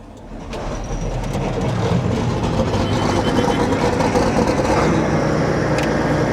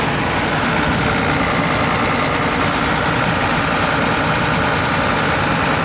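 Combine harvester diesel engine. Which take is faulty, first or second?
first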